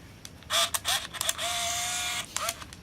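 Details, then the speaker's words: Olympus Infinity Stylus Epic 35mm point-and-shoot, firing off the rest of a scrap roll: crisp shutter clicks, each followed by a short whirring motor advance with one longer wind; the film transport is working normally. "We're just basically wasting the rest of the frames on this old roll of scrap film. Verifying that the film transport's working."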